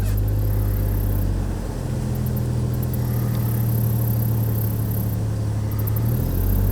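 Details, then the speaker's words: 2002 Chevrolet Trailblazer after cylinder 3 misfire, fixed by swapping the coil: petrol engine idles with a steady even low hum, no stumble, no check engine light, zero misfires. "well that's the best that sounded in a long time it's running"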